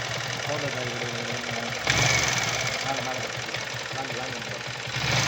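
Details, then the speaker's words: Yamaha R15 V3 BS6 at about 8000 km, before repair: revving single with busy metallic clatter from engine head over the exhaust, swelling with throttle; worn rocker arm causing valvetrain noise, fixed by rocker arm change and clearance adjustment. "நம்ம bike r15 v3 ல earth 8000 km தான் ஓட்டிருக்கோம் அதுக்குள்ள வந்து பார்த்தோம்னா இன்ஜின்லயும் engine ஹெட்ல வந்து ரொம்ப noise வருது அது எப்படி நம்ம சரி பண்றதுன்னு இந்த வீடியோல பார்க்கலாம்"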